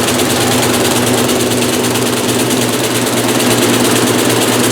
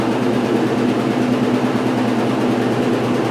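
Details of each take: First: 1996 Maytag Dependable Care Plus top-load washer, first load in new house; heavy spin roar with rhythmic thumping about three times a second as tub slams around, washer tilting and walking even while held; load off balance. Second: 1996 Maytag Dependable Care Plus top-load washer after owner rebalanced the load; smooth steady spin hum with even low rumble, no thumping or banging; normal spin.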